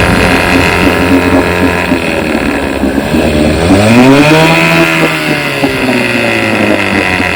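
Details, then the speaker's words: 1959 5.5 HP outboard motor in barrel test: steady two-stroke buzz with smooth rev rise and fall, firing even and clean; running like new, silencer part not yet refitted. "i mean runs like new got her all dialed in here"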